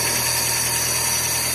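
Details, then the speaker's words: Chevrolet Corsa Classic idling normally: smooth, even idle with a steady low hum and faint whir, earlier noise gone, battery and injection lights off, charging about 13.7 V. "apagou a luz da injeção da bateria o barulho que tava fazendo antes já não tá fazendo mais tá vendo ó"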